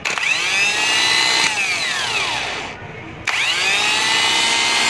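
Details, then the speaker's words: Kia Bongo starter motor after armature re-soldering for hard-start issue, bench tested: clean, even high whine spinning up, winding down and up again with no growl or grinding; smooth sound means good condition, normal free spin. "Napakakinis ng tunog. Ibig sabihin kondisyon siya."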